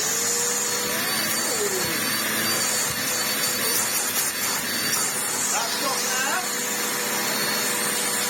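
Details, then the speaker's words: Vax Essentials bagless upright vacuum after full restoration and filter wash, testing hose suction then carpet: steady high-pitched motor whine with airy rush, even as hose and head move; picking up well, running normally. "Perfect there. Let's try it on the carpet. Picking up there."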